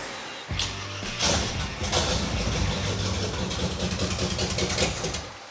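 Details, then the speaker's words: Circle-track car V8 with mechanical fuel pump, carburetor primed by hand after fuel not arriving; still not picking up gasoline from tank (suspected cracked fuel line): catches after brief crank, steady even burble, no misses or knocks; running smoothly. "pretty smooth it sounds good still not picking up gasoline but little bit it's running it sounds great"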